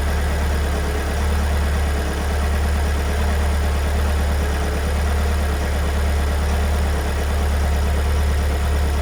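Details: 2022 Kia Sorento MQ4 2.2 diesel at cold idle, two days after two weeks in Kia service that called it fine: quick, rough, rhythmic clatter about four per second over heavy low drone; abnormal knocking, owner says new, cause unknown.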